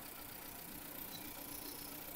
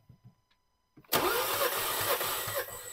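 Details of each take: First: 2015 Nissan Juke 1.2L with P0300/P0304 misfire codes, shaking and smoking, at low idle during a cylinder drop test; coil connector unplugged on cylinder one gives slight uneven pulse and rougher running, showing that cylinder fires. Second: 2015 Nissan Juke 1.2L, towed in shaking and smoking with P0300 and cylinder 4 misfire codes, during a cranking compression test: even chugging beat about two per second; this cylinder reads about 175 psi, good. Cylinder 4 later reads about 40.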